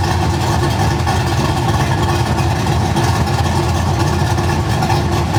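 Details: V8 with mild cam (216/220, .550 lift, 114 LSA), base idle timing around 18 degrees, idle deliberately set too rich for demonstration: deep, lumpy idle that hunts and stumbles unevenly; rough idle from rich mixture.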